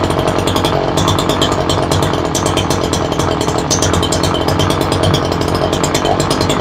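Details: Ryobi 3818 chainsaw that sat all summer, stalled at idle, fuel diaphragm work done, carb being adjusted with lid off; high, busy buzz with ragged, surging edge, not idling right; mixture suspected off.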